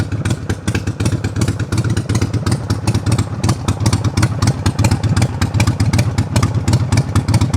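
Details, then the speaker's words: Cammed Harley Sportster V-twin, warmed up and down off high idle: loose, lumpy beat of about 160 pulses a minute, steady and even; idling exactly where it should be. "Here it is in all its glory, idling exactly where it should be."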